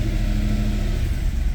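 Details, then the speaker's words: 2010 Mercedes E63 AMG, M156 6.2 L V8: runs fine after restart, but held steady at about 1500 rpm it suddenly chuffs and stumbles unevenly, check engine light flashing; misfires traced to cylinders 1, 3 and 4 on passenger bank, cause not yet found. "Like someone hits a switch. Runs like crap, check engine light flashes until you shut it off."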